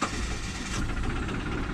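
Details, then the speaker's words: 2005 Subaru Forester L.L.Bean, roughly 200k miles, first start after broken timing belt with battery hooked up: engine catches and settles into steady even rumble; probable compression loss and bent valves suspected, head gasket suspected. "she runs or she runs gas does that sounds great there's probably some loss of compression there's probably some vent valves but it runs"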